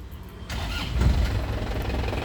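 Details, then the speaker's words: 2007 Isuzu Panther Grand Touring manual diesel, 137,000 km: cranks briefly and catches almost at once, settling into a low, crisp, steady clatter; healthy battery and a normal quick start. "cegreng ya jadi akinya sehat langsung cegreng akinya sehat ini suaranya Lur kelihatan dari suaranya renyah ya kalau mobil sehat itu suaranya ada renyah-renyahnya"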